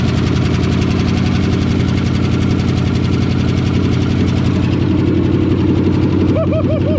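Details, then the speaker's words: 1963½ Ford Galaxie V8 with rebuilt carburettor: steady, even idle with a smooth regular firing beat; normal idle. "Actually, a pretty good running engine in this car, not for sale, 6'3 and a half Ford Galaxie."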